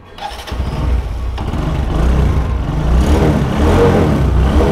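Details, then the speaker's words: Motorcycle engine after replacing the burnt exhaust collar/gasket at the cylinder head: starts and revs smoothly with an even exhaust beat, the earlier pat-pat tapping from the head now gone; normal running after repair. "শব্দটা আর নাই, একদম smooth হয়ে গেছে sound. যে প্যাট প্যাট প্যাট প্যাটের শব্দ আসছিল cylinder head থেকে, ওই শব্দটা এখন আর নাই।"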